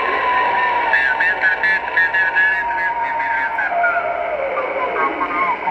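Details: Ham radio receiver on 20 meters, AGC turned down: short warbling tone pulses repeating over hiss, signals every 29/58 kHz drifting slowly up/down the band, coming in via antenna; radio, power supplies and house ruled out; cause unknown.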